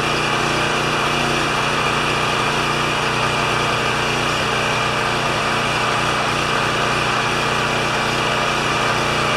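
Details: Champion 3000 W single-cylinder generator, brought in as a non-starter, running with a disliked choke adapter; tested good days earlier, likely low hours. Constant, even hum at steady speed, no surging, missing or knocking; normal running.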